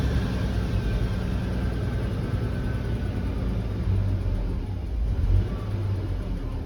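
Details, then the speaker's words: 1965 Ford Econoline van, first start after Autolite 1100 carburetor replaced by Holley Sniper EFI: engine catches and settles into a steady, even low rumble with no knocks or misses; healthy smooth idle. "oh nice just drops right into this beautiful idol"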